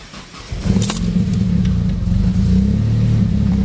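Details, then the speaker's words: 500hp Saab 9-5 with new Walbro 450 fuel pump, first start on new BioPower bin on E85; catches and settles into uneven stumbling idle with irregular dips. Rough idle as ethanol content reads 0%, running the 93-octane map until it adapts. "right so for anybody that hears the stumbling so whenever you have a bio power bin so see the CA equals zero percent so on that first start it doesn't know right now think it's running on based on the 93 mem"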